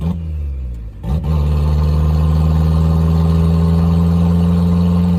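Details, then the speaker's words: 1990 Mazda Miata after sitting 7 years, first drive: loud, deep, rough steady drone at fifth-gear cruise, engine pulling well. No exhaust system fitted, smoky and dumping fuel, running rich. "uh good God it's loud it is Smoky it is dumping fuel um my eyes are burning so definitely we need exhaust"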